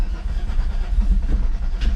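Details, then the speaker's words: VR6 turbo VW wagon after fuel pump and fuel pump relay swap: uneven low thumps and sharp pops as it nearly catches, clanky cranking backfiring up top; bad metal sound, owner suspects engine needs teardown, cause unknown. "came closer to actually starting I heard to actually turn over for a second but it kind of sounded like it was backfiring up here I felt clanky and I don't want to destroy all of this"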